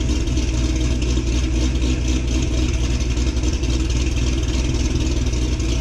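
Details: 2006 Corvette Z06 V8, cold-start recording taken before a new cam is installed: deep, steady rumble with a slightly lumpy cam beat, even and unbroken; idles cleanly from cold.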